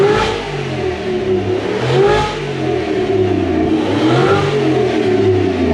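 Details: Toyota 1UZ V8 freshly refitted in a Toyota Hilux Xtra cab conversion, running after fuel pump priming; even burble swells and drops cleanly with throttle blips, no knocks or misses: normal.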